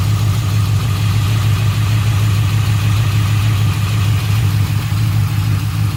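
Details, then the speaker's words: Car restarted after sitting a few minutes following stop-and-go city driving: an intermittent rough idle, lumpy and unsteady, with the engine shaking and trying to stall. RPM reads fine and the exhaust smells bad; a misfire is suspected. It later smooths out. "Yep. My engine's shaking like crazy. Sounds like shit."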